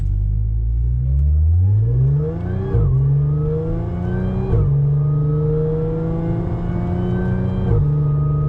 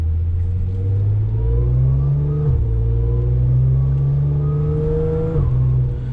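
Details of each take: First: Audi S4 3.0 supercharged with test pipes, after fitting Magnaflow resonated X-pipe: light throttle through the gears, smooth even exhaust note, no rasp and little drone. Normal exhaust note. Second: Audi S4 3.0 supercharged with test pipes, after Magnaflow resonated X-pipe fitted, driving in second gear: deep drone rising with revs with slight raspy edge from the rear mufflers; exhaust rasp from rear mufflers, no longer from underneath.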